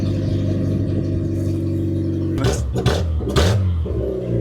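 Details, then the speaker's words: Fiat Panda with exhaust cut to basically a straight pipe, no silencer: deep, loud rumbling idle then a couple of rough rev blips, raw and throaty. Loud unsilenced exhaust. "If that's not race car. Give it a rev. That's proper throaty, that is. That sounds rough."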